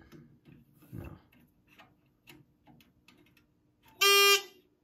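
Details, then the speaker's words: 1997 Edwards 6616 fire alarm control panel that works cold but fails once warm: faint, uneven relay ticks about every half second and one short beep. The panel stays in alarm and will not reset; cause suspected, not confirmed. "all right no matter how long I wait or what I do it does not reset so let's take this apart let's see what's wrong with it"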